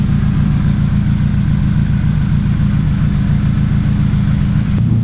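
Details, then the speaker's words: 2006 Chevrolet Cobalt SS, LSJ four-cylinder, with aftermarket exhaust, running after valve cover gasket replacement; steady even low idle through loud exhaust, no ticks or misses; normal idle. "so four cylinder lsj cobalt so definitely let me know what you guys think of the way this sounds"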